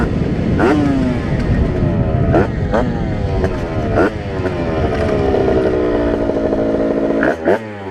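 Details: Test ride of a Rieju RR moped with tuned 80/85cc brand-new cylinder on 4% oil mix, carburetor still being set up (needle changed, 148 main jet): sharp two-stroke wail climbing cleanly through each gear, clean shifts, no bogging; running well.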